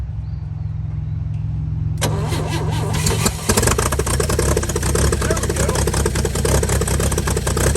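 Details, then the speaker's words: 1955 Chevy inline six truck revived after sitting about 30 years, used starter fitted, carburetor filled and leaking: cranks, catches and settles into steady even idle with no knocks or misses; runs pretty good, normal idle. "you gotta say she runs pretty good we're gonna let her cool down here and fire back up"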